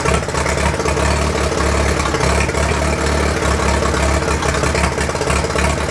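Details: 1943 Case SC tractor, first run after years of sitting, with a little throttle: low chugging that stumbles and wavers instead of an even beat; owner unsure if a miss or fuel mixture, suspects mixture, carburetor still to be tuned.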